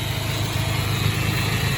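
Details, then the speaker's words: 1993 Nissan Hardbody KA24E after timing chain job (oil pump re-clocked after being a tooth off), new water pump, NGK plugs and wires, new clutch: smooth, steady low idle, even pulse, no rattle or tick; truck running like a dream. "So we went ahead and did that. Now this truck's running like a dream."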